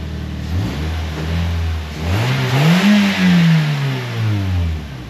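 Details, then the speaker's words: 2007 Toyota Yaris after a quick zip-tie and duct-tape fix of broken welds, loose bolts and holes in the exhaust: engine blips up and settles with a raspy, puffing edge; exhaust still leaking at the patched joints, louder outside than inside. "I still hear that you immediately blew that out you hear it out here but you don't hear it as bad inside so hey that's something"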